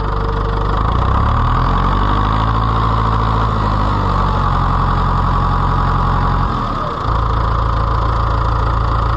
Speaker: make sure it's in neutral so it does not kill us I need to put my battery cable back on too there we go runs great